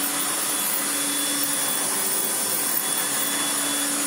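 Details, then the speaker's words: Restored Hoover Turbomaster U5078 upright vacuum after rebuild: brand new genuine Hoover fan (old fan rubbed from dirt, went off balance, blew two motor coil wires), original motor bearings, one new brush roll bearing; smooth steady high-pitched rushing whir, constant tone, no rattles or wobble, normal running. "So what we end up with is a Turbomaster with a brand new genuine Hoover fan, the same bearings that it came to me with, 1 new brush roll bearing because 1 broke apart, and it literally sounds like this."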